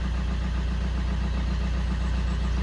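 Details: Fiat 500 diesel with replacement engine of unknown history, after replacing the too-far-gone DPF that caused heavy smoke; smooth, deep diesel idle holding constant speed with no stumbling, hunting or misfire; normal idle.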